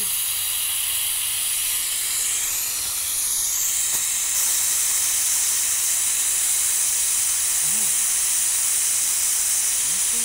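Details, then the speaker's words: Afghan Kazan pressure cooker on a wood campfire after cooking: lid valve lifted for quick manual release instead of waiting 40–60 minutes to decompress; loud, continuous high steam hiss holding steady; normal pressure release. "or two you can do what i'm gonna do and that is i'm gonna just release the steam"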